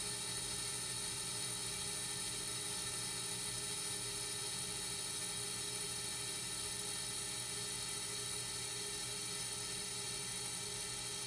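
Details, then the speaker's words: Accu-Turn 8944 brake lathe resurfacing a rotor on a second, more aggressive pass, thickness 28 to about 27.3 mm: even steady high whir with no howl or chatter; normal clean cut. "alright looks like we got a nice clean pass on that one"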